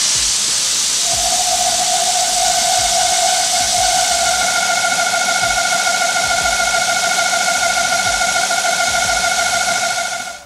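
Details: BMW E39 540i 4.4L V8 idling with a loud high whine/whistle over a hissy idle, first noticed on the highway: failed crankcase ventilation valve (oil separator) diaphragm off the back of the intake manifold sucking vacuum; fixed by replacing the valve.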